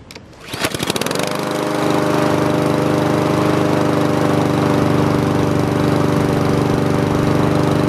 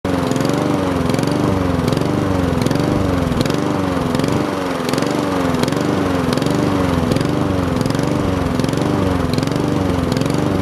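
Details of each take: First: Honda GCV160 mower engine after air filter and carburetor cleaning for a surging idle: catches after a few pulls and settles into a steady, even run with no surging for five minutes, so the fix worked. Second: Honda GCV160 mower engine surging idle, speed hunting up and down about every three-quarters of a second; possible cause is an air filter clogged with grass or dirt, fixed by carburetor cleaning.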